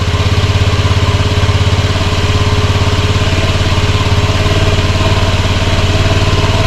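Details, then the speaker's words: Honda Scoopy scooter, first start after restoration and reassembly: steady, even low putter at idle with a regular firing beat, no knocks or misses; it starts and runs smoothly. "now that we could confirm that it starts which is fantastic news"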